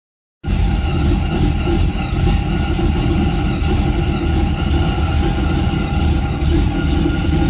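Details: Rough idle: the pitch holds steady but carries a faint recurring ticking flutter about twice a second, so the engine sounds unsettled and rough-running.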